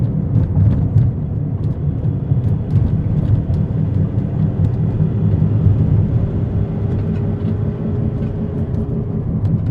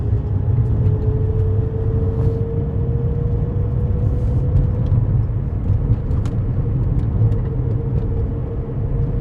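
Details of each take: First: This is what a bad wheel bearing sounds like. It has a whomping noise and will get louder and louder the more you drive on it. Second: Car cruising after its bad wheel bearing was fixed: steady low road rumble with no rhythmic whomping or growl from the wheels; normal road noise, no wheel bearing hum.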